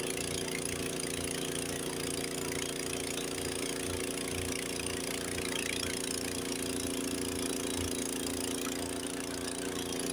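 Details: Honda HS80 snowblower with fast throttle set to the 3600 rpm spec, first gear taking a full bite of snow: even, steady engine drone with no sagging, throwing snow much further than an identical machine at 3000 rpm; normal engine under load.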